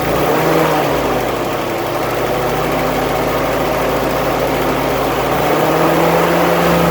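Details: 1946 Willys CJ2A Agri-Jeep, original Go-Devil flathead four on its original 6-volt system, started on the starter button after sitting a few weeks: steady, even idle with a smooth regular beat and no misses or knocks; healthy.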